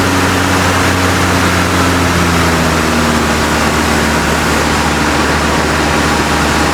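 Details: 1956 Buick Century, freshly professionally rebuilt V8 in break-in, held at raised fast idle; loud, smooth, steady droning with no misses or knocks; temperature around 195°, running about 20 minutes, healthy.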